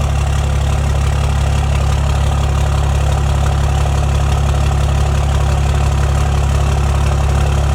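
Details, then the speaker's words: 2008 Cummins diesel, first start after a fresh engine replaced a failed one, oil primed beforehand: a deep, even rumble at a steady idle with no knocks or misses, about 70 psi: normal diesel idle. "I'd say that's the job well done D it right up and she's purring like a kit"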